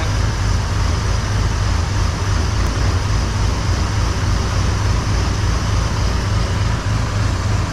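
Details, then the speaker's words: 1978 Chevy C10 with a 454 big-block V8, just started in the shop after a new battery, in the session to cure an engine tick and exhaust sputter, warming up; deep, steady, even idle with no tick or tapping, much quieter than before. "no I can tell you right now it's much quieter up here we'll let her get warmed up here for a"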